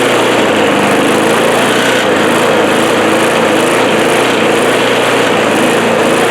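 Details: Old Craftsman mower after cleaning and refitting the original carburetor and tank and restoring the primer bulb; steady, even single-cylinder drone, no misses or knocks, and no more smoke. Normal running.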